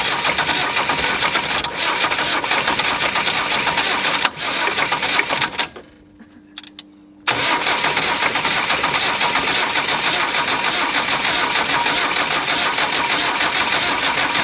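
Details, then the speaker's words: Land Rover 90 with normally aspirated diesel, first start attempt after eight years unused, cold snowy day: engine clatters unevenly with ragged irregular beats, cuts out briefly, catches again and runs rough; it only sort of started. "pretend we didn't see that well that's it it sort of started ish a little bit"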